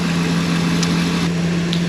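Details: 2002 Ford E-250 van after engine reassembly and coolant flush, first start: smooth idle with a constant, unwavering low hum; no fuel or oil smell, strange noise source unidentified.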